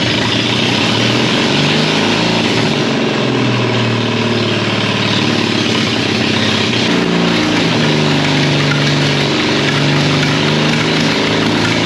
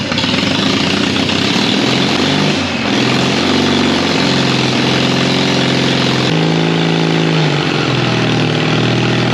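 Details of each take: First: 1939 Caterpillar D4 (D4400 diesel) after final assembly, restarted after bleeding the injectors; loud, lumpy idle with an uneven beat, with low fuel pressure but good oil pressure noted. Source not yet identified. Rough idle. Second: 1939 Caterpillar D4 (RD4) crawler with D4400 diesel, after final assembly, valve cover off for head torquing: steady, even low idle with firm regular beat, no knocks or misses; running healthy, some wet stacking, still needs break-in.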